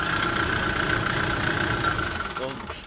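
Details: Kia Bongo III J3 Euro 4 diesel with misfire, vibration and black smoke; codes P0501, P0650, P0685 also stored. Rough idle with an uneven knock near 220 a minute and lumpy beat; misfire from faulty injectors, mainly at high rpm.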